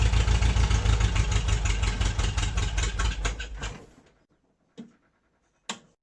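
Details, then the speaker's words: MG on its first start in 22 years, after points and condenser cleaning, gap check and plugs refitted (spark weak). It catches, runs unevenly at about three beats a second, then dies within four seconds with two clunks. The choke is stuck. "Oops, the engine died. The choke is stuck, so I'm just gonna try to freeze it at some point."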